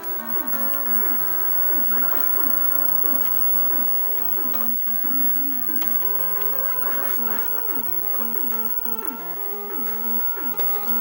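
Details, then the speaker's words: 1990 GE 2-head mono VHS VCR playing a tape: music wavers and drags in pitch while tracking is adjusted out of sync, altering tape speed; wow and flutter stops when tracking adjustment stops. "could hear some wow and flutter while I was fiddling with the tracking, which went away after I stopped fiddling with the tracking, which is kind of interesting."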